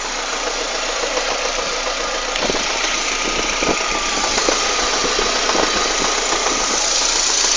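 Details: Citroën Saxo 16v engine at idle; a hissy, busy top end with scattered light ticks. The source of the odd noise is not pinned down.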